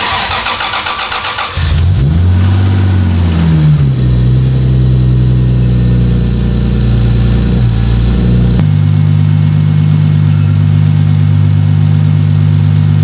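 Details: 2JZ-GTE twin-turbo swapped MKIII Supra, first start after rebuild for turbo bearing/bushing failure with new turbo blankets and heat shields, fresh coolant; engine cranks briefly, catches cleanly, flares, settles to steady even idle, no knocks or whine; normal start and idle.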